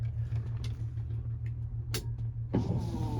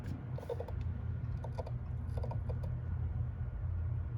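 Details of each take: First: 1986 Ford F350 6.9 IDI wipers on high with engine off: steady low motor hum with soft rhythmic sweep about every half second; wipers working, somewhat strained without the engine running. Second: 1986 Ford F350 6.9 IDI, engine running: irregular bursts of clicking at both the wiper motor and switch, wipers stuttering, washer also intermittent; owner suspects the switch or a bad connection, unconfirmed.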